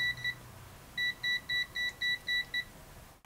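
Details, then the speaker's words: AstroAI TRMS multimeter (M2KOR/M4KOR) on DC 10 A range, current raised to about 10 A: two short beeps, a pause, then six quick even beeps about four a second; current overload warning. "so we go up 10 amps i guess right and then listen that you get a beep and overload"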